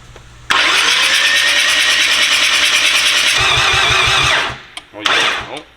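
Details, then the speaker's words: First start of a rotary engine after clearing a flood: loud hissy cranking with a lazy uneven chuff, cranking too slowly to catch; base timing reference still being sorted. "hear those okay it's not a crank it's not cranking fast enough"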